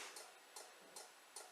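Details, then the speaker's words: Range Rover L322 at ignition-on, rear number plate lamps being upgraded to LED; crisp light clicks about every 0.4 seconds, five in a row; normal CAN-bus bulb-check relay clicking at the rear lights. "so if you uh when you start the ignition it does a bulb check circuit"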